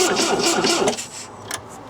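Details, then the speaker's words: 1974 MGB GT sat for 29 years, cranking with fuel poured into the carburetors and float bowls not filling due to a pinched fuel hose: sluggish starter chugging about four turns a second, fading and dying as the battery gives out. "battery's giving out us"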